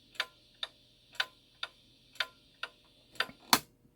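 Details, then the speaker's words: Shanghai 555 clock after cleaning and correction, on a beat analyzer: ticks in a lopsided rhythm, short gap then long gap, about two per second; uneven tick, suspected to be from slightly bent escape wheel teeth, though the beat is judged pretty good. "You get on one side of the escape wheel and the numbers are high. And then you get on the other side and the numbers are low like they are here. But that is pretty good beat right there. You can hear the variation in the teeth."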